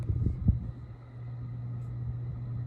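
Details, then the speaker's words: Circa-1985 50-inch Casablanca Delta II five-speed ceiling fan on medium-high: steady low hum with a busy, rumbling growl underneath as the bearings get loud; bearing noise suspected, not confirmed. "you can hear the bearings are really starting to get get get busy now being loud"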